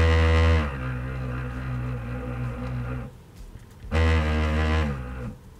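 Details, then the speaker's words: PlayStation 4 sold as working but overheating, first power-up before repair: loud low buzzy droning fan hum easing then surging; faulty fan thought to cause the overheating. "it sounds like there's a faulty fan inside it's it's moving at me so I guess that's exactly the reason why the thing is overheating"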